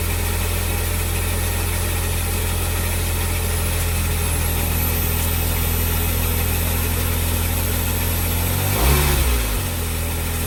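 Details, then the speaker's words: 2003 Smart Fortwo three-cylinder after spark plug and HT lead replacement for P0303 cylinder 3 misfire: smooth, even idle with a steady low beat and a brief rev blip; now running on all three cylinders, engine light off. "well i am extremely happy it's now running on three cylinders it sounds so much better it smells better and everything about it"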